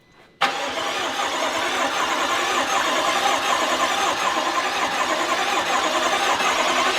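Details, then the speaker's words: Newly built fully forged BMW M5 F10 twin-turbo, first start: fuel pump disconnected so it cranks steadily without firing, turned over to pull oil up and prime the engine before first firing. "It's not starting because the fuel pump's disconnected, so it won't fire, and we can pull oil up."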